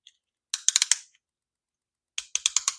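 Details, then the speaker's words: Bicycle derailleur shifter after new chain and cable installation: two quick bursts of crisp, dry indexing clicks with no grinding or slipping as the freshly routed cable moves freely. "then there we go. So you hear it clicking. That cable is going to be moving."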